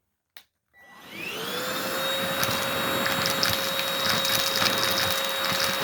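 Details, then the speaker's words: Oraimo H3 handheld vacuum, used without attachments, picking up dog food: motor spins up to a steady high whine with scattered rattling debris hits, and the airflow changes as large bits clog the inlet. "if you can hear that we still managed to clog now we did get some in obviously there it is but some did clog and you could hear the airflow change"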